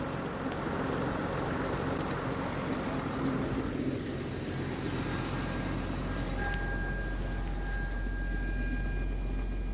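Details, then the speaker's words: 2008–2016 6.7 Cummins diesel tow truck, rebuilt engine, after CCV filter, valve cover gasket and valve adjustment, started ice cold: low smooth rumble settling to quiet even idle, no ticking or knocking; normal. "okay well I didn't want to end the video like that so we at least got to start it up it's running smooth Hing like a kitten I tell you"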